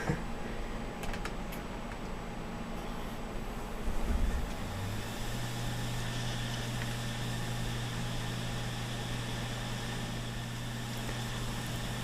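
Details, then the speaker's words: Failing Seagate 500 GB desktop hard drive powered up with the cover off: faint scattered ticking, then spin-up to a steady low hum; the heads seek all over, meaning the drive has failed. "when you see the head going all over a place like that it pretty much means the drive has failed"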